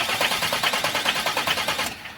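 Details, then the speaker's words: Renault Master 2022, 2.3 diesel, 150,000 km, stalled on highway and won't start: starter cranking about 2.5 beats a second with hard tapping knock each stroke, first thought bearing shells; cause was broken piston skirt. "начали заводити його без тої фішки і начали слухати, що стукає щось в моторі. Стук прям такий наче як ото або вкладищі, або що."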